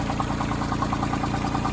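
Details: Branson 2500h tractor, A1100 diesel engine, about three weeks old with 38 engine hours, idling with a sharp, even knock about ten times a second over the idle; owner thought of rocker arms but doubts it, source unclear: engine knocking at idle.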